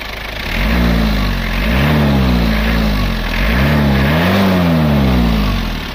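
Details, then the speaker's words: Panther 23 engine after repair for low compression and tak-tak misfire noise: strong, clean revs rising and falling twice over a steady low idle, even and smooth with no knocks or rattles; running normally. "Ada raungan macan. Kalau kerataannya sudah bagus."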